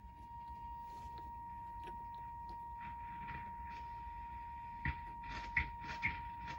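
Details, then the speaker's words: Peavey Deuce guitar tube amplifier on the bench, idling: only faint, steady hiss with a few handling clicks and no 50 Hz hum; normal, healthy amp noise. "as you can hear there's just hiss there's no harm that I can hear"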